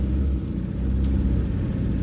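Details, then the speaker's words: 1979 Toyota Corolla KE30 1.2L, first drive after crankshaft bearing repair (failing oil pump had starved them): steady, even low drone with only road rumble and no knocking; much quieter than before, temperature stable, normal engine running. "it's much much quieter yeah it's better as well yes yes yes this is what it's supposed to be like nice temperature is stable"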